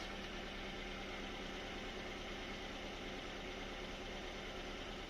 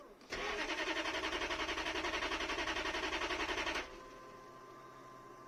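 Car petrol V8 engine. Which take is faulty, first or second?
second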